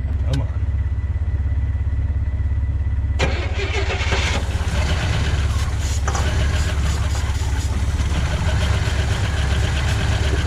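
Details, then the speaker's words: Cutlass Supreme G-body first start after fuel pump replacement, battery jumped, after long sitting: engine fires into a heavy, lumpy, uneven idle; running rough, cause not found. "I'm not too stoked the motor kind of sounds really rough even though it's just starting to try and turn over"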